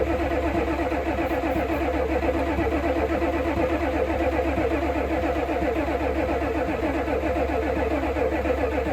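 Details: 1988 Ford F350 7.3 IDI diesel, sitting since the 1990s, given starting fluid: even cranking about four compressions a second with no cylinder catching; crank no start, fuel in the filter but none at the injector line fitting.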